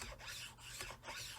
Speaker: it moves fairly smooth you can hear that grinding sound which i don't really like over time that's just going to eat away at your actual metal and material